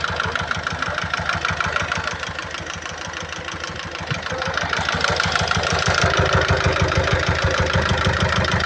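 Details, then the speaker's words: 2012 Peugeot Partner B9 1.6 HDi 75 HP diesel, almost 216,000 miles, with a heavy oil leak and smoke from the oil cap. Strong, steady knocking about three beats a second over the idle; bystander wonders if it is exhaust. Knock resolved after topping up oil; source unknown. "The engine doesn't sound too healthy on there. Did you put that oil in it?"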